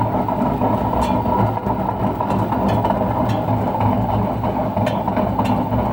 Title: grinding noise from a washing machine drum coz of extremely worn out bearings